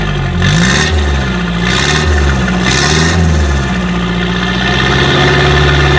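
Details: Restored Toyota Hilux (1992–2001 generation) "Garbosa" diesel, freshly restored engine: three smooth strong rev rises over an even, steady idle, with no knocks or rattles. Healthy diesel revving.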